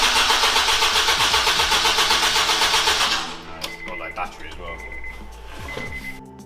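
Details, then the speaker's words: Honda Integra DC5/RSX with a new Racing Circuits engine harness, first start attempt in 8 months: quick, even cranking at about four beats a second for three seconds, never catching, because there was no fuel in it; crank, no start. "so this is actually day two or Saturday after yesterday back in the unit with the car because there was no fuel in it so obviously it wouldn't start"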